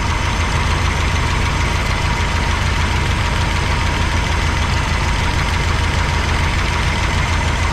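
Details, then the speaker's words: 1985 GMC C25 V8 idling with the valve cover off during lifter adjustment: quick irregular clicking, about three per second, over a loud low idle from a lifter with excess lash; fix is tightening until no noise, then 1/8 turn. "Sure you can hear that one, right? So what you do is you just close it, no noise, 1/8 of a turn."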